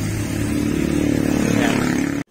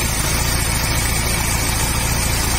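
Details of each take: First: Motorstar Easyride 150 single after fitting improvised repaired timing chain tensioner: loud noise gone but uneven, stumbling idle with dropped pulses before cutting off; misfiring from incorrect valve timing. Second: Motorstar Easyride 150 single-cylinder after valve tappet adjustment, timing and tensioner fixed: busy but steady patter at idle, even beat with no rattle or tapping; earlier noise gone, idles normally.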